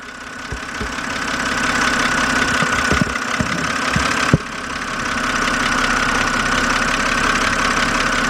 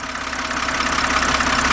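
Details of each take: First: 2007 BMW 328xi engine ticking at idle, fast light ticks about three per second from the top of the engine, heard close up through a stethoscope; lifters suspected but not confirmed. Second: 2007 BMW 328xi engine, stethoscope held on a fuel injector at idle: crisp, fast metallic ticking of the injector pintle opening and closing over a steady idle hum, a normal sound showing the injector is good.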